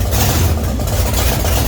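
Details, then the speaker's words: 1966 Chevy C10 rat rod V8 just restarted after distributor reinstalled, before timing-light check, very cold shop: loud, rumbling, slightly lumpy but steady cold idle; needs to warm up. "all right it started damage this thing loud it's definitely cold oh yeah it runs"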